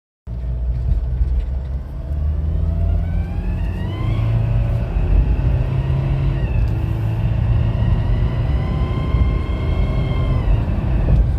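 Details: 2007 Nissan Pathfinder 2.5 dCi diesel: thin squeal rising in pitch each time throttle opens, falling as revs drop; two workshops found no holes or damage in vacuum pipes; cause unknown.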